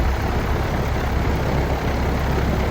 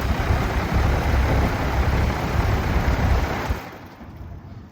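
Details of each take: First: Old outdoor AC condenser fan running with a steady, even low hum and no wobble or vibration after the fix; compressor wire disconnected for testing, previously vibrated heavily. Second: Old outdoor AC condenser unit, compressor wire disconnected and plunger pressed to run only the fan: heavy low throbbing rattle and vibration from an unbalanced fan blade, apparently beaten after a motor replacement.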